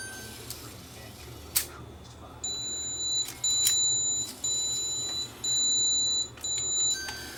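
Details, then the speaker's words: Cheap Canon DV camcorder with a loose, disintegrating pinch roller and suspected capstane motor problem, powered on: short clicks then high beeps about once a second as the self-check motor test fails; error, cause not confirmed. "when you first fire it up it does a self-check and it tries to kick the motors to make sure that they can spin"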